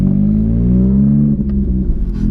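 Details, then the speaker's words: Car on the motorway after a loud bang: loud, deep rumbling drone far louder than stock; exhaust split at the side, owner suspects the catalytic converter let go; exhaust leak. "my exhaust exploded the cat must have just gone the catalytic converter just gone like literally it's just split at the side of the exhaust oh my god it sounds beastly"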